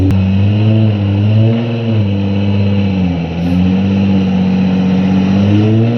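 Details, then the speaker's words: JDM 1989 or 1990 Nissan 300ZX twin turbo manual, right-hand drive, ex-track car, cold winter night, burnouts: hard revving rising and falling with a rough, uneven edge and deep knocking; engine knocks badly, rod knock. "She don't sound good, but she survived. So the engine knocks, hey? Yeah. Badly. For real bad."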